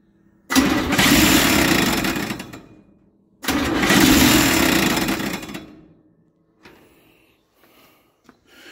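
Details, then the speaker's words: Chevy 283 V8 in a parts truck, cranking on a new starter held by one bolt: two rasping, rubbing bursts of about 2 s, no start; owner suspects something is hitting the already-broken shroud. "That starter does not sound good, but like I said, it's only got one bolt in it. I'm kind of waiting on the nose cone of it to break."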